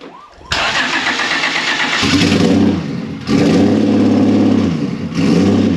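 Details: Turbo Honda VTEC car out of storage, after fixing a vacuum leak from cracked O-rings and reinstalling intake: cranks briefly, catches cleanly, steady idle with throttle blips, no hiss or stumble.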